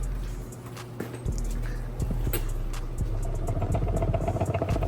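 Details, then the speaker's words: BMW 335i single-turbo manual transmission, removed from the car and opened up, turned by hand. An uneven, low clattering rumble with loose knocks; the noise persisted after the clutch was realigned, so the transmission is worn out. "If you guys can hear that. Yeah, this trans is cooked."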